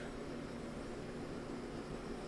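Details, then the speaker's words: LG DLG5988W gas dryer after new rollers, drive belt and tensioner plus lint cleaning: smooth, steady drum rush with low hum, no thumping or rubbing, much quieter than before the new rollers; repair working perfectly. "i'd say i'd say we've got a good repair here it's working just perfectly so uh yeah new rollers make a big difference"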